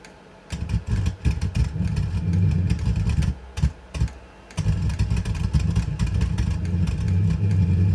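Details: Brand-new Vevor XMZ D2 2 kW Bluetooth diesel heater backfiring on startup in manual mode: rough stuttering rumble, sudden cut-outs, irregular pops, heavy smoke (unburned fuel); cause unknown, owner suspects it needs a full-heat first run.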